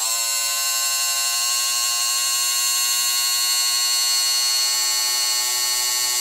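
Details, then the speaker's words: Motorized Walthers bascule model bridge gearbox run at 5 volts (6 recommended), loose linkage rod; thin high-pitched motor whine holding perfectly steady with no rising or falling: smooth, healthy gear drive. "pay attention to the gearbox noise can hear it's very consistent and it doesn't get high low"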